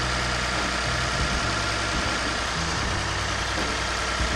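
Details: Lexus IS350 after replacing radiator, AC condenser lines and coolant reservoir, first start in a while while bleeding coolant: even, steady idle with smooth low hum, no knocks or misses; engine sounds healthy.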